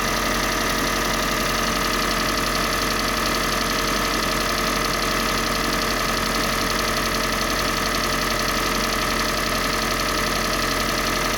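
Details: Kia Sportage 3 with G4NA engine on Total HKS 5W-30 oil: steady idle with a dull, fairly regular knock about one and a half per second; engine knock, cause unknown.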